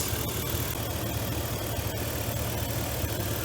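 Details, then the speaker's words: V8 idling with a misfire on several cylinders (about 1, 3 and 6), suspected fouled or worn spark plugs, some already changed. An uneven, loping idle with irregular dips and stumbles in the low rumble; it shakes less than before. "the motors not shaking as bad as it was did you see that"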